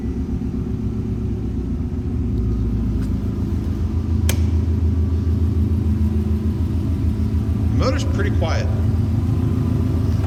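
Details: 2007 Subaru STI with the hood open, reported to have no blow-by and no overheating; an even low idle burble with a steady rhythm and no knocks or ticking, the engine quiet and healthy.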